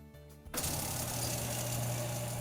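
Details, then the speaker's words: Top-load washer drain pump starts with a steady buzzing hum and rough ticking, high-pitched vibrating rattle; a foreign object was found caught in the pump impeller and removed with needle-nose pliers. "If your washer is making a ticking or high-pitched vibrating sound, it could be related to the drain pump."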